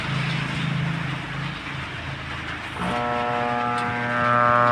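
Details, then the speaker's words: DB Audio 52 Bluetooth amplifier: at power-on a steady buzzing mains hum from the speakers with no DC at the output; rain hiss in background. "ang issue niya nito mga kaibigan umuugong kapag ino-on mo Ugong lang yung maririnig mo yung sa speaker niya"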